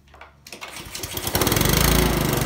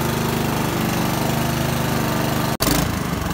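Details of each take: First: Honda lawnmower after a tune-up: it catches after a couple of pulls and settles into a steady, even chatter with no misses; the engine runs smoothly. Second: Honda lawnmower during tune-up, single-cylinder: uneven beat with revs rising and falling every second or so; rough running and surging.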